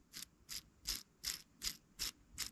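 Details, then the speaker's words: Arrma Kraton V5 6S rear differential bearing turned by hand during a rebuild: gritty rasping bursts, about eight in under three seconds, instead of smooth rotation. The bearing is rough and needs replacing. "it should be nice and smooth and this one is got some noise in it so this bearing would need to be replaced"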